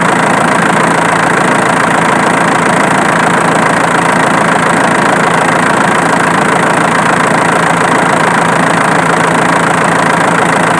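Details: Diesel engine at loud idle with sharp, regular snapping roughly twice a second, located with a camera; the noise comes from the alternator, not the injection pump as suspected.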